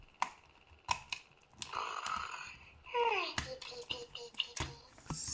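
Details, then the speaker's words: Furby Boom toy: sharp clicks roughly every second among its chirps, only the eyelids moving slightly; owner suspects it is trying to drive its broken motor. "so yeah he's doing or it is doing something moving the eyelids a little bit but it's just doing this which maybe it comes from the fact that it's trying to drive the broken motor"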